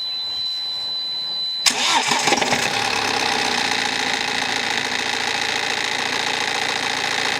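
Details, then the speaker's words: BMW 318d N47 diesel cold start, engine cover loose: brief crank then busy metallic clatter; rattle on startup, timing chain suspected but unconfirmed, also a squeak likely from alternator pulley. "Okay, so there definitely is some kind of rattle on startup. I don't think it's helped with this engine cover being loose, so we'll get this out of the way."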